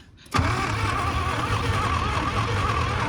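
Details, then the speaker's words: 1980 Pontiac Firebird 301 V8 that sat 17 years, with plug wires found in the wrong firing order. The starter cranks steadily with uneven firing pulses that catch but never take off. Cranks but will not start. "okay we found some HEI wires gosh it's trying [Applause] I can hear it"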